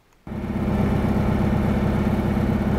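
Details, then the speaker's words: Cub Cadet garden tractor that smoked when hot, just reassembled after repair: catches instantly and settles into an even, steady idle with no misses or knocks, sounding healthy. "Well, it started right up. Let's see how we're gonna do."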